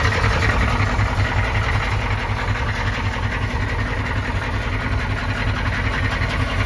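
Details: 1993 M998 HMMWV, 6.5L naturally aspirated Detroit diesel, cold start with rough idle: a heavy, uneven knock of two to three per second under the clatter. The engine ingested water on a crossing and lost compression; owner assumes hydrolock and a bent rod, unconfirmed.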